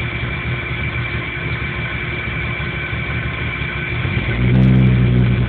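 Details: 1997 Jeep Cherokee with no trouble codes that won't idle right and dies under power; uneven, loping idle with a lumpy low pulse and a brief rise in revs near the end. Rough idle, cause not evident.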